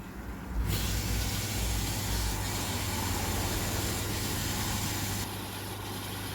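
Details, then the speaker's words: Oase drum filter after drive motor replacement, drum spinning: steady low motor hum under rushing water, no grinding or labouring. Normal drum filter motor running. "Sounds promising. I can hear it spinning."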